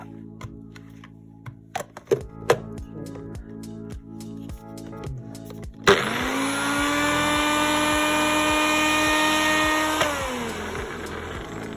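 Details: Nutribullet blender after its two worn blade bearings were replaced: music, then a smooth, steady high whine for about four seconds that winds down cleanly; normal motor run.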